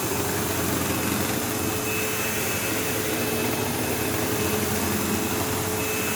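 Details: Sebo Automatic X5 upright vacuum running in use: steady loud roar with a hard buzzing hum and sometimes a squeal like a slipping belt, though no belt is involved; brush roll problem suspected; buzzing vibration.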